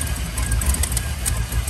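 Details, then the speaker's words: 2001 Chevy Silverado 1500 5.3L, warm engine at idle, bank 1 and 2 lean codes: lumpy idle stumbling every few firings, worse when warm, dies in gear; lean misfire traced to a cracked EGR tube vacuum leak. "When it's warm, it almost seems worse of a miss and it's rougher, and it'll die in gear and everything when it's up to temp."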